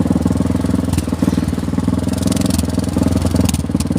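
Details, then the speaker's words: Motorcycle on a road trip, idling: loud, raspy, popping unmuffled exhaust on every firing pulse because the muffler end piece's hanger came loose; exhaust leak from loose muffler end piece. "suara motor Kok gede sekali ternyata ininya knalpotnya ini ada yang lepas itu teman-teman"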